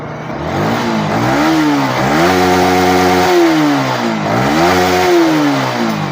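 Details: Yamaha R15 V3 after repair of a coil fault that charged poorly and mimicked crank bearing noise: two clean rev blips rising and falling smoothly with no humming, whine or bearing noise; engine healthy.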